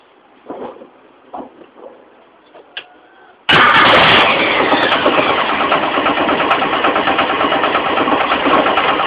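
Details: Mitsubishi 4G15 carburetor engine starts, then idles with an even knock near three per second from the loose crankshaft pulley, low at the front. The pulley was not replaced; the knock was fixed by tightening it.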